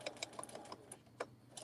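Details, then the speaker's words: Sewing machine stitching with a deliberately dull needle: uneven dull thunks and sharp clicks with each stitch over a light running whirr. This is the clicking-to-clunking sound of a blunt needle that needs changing. "yes that does not sound good at all can everyone hear that thunking thumping sound it's like that clicky sound"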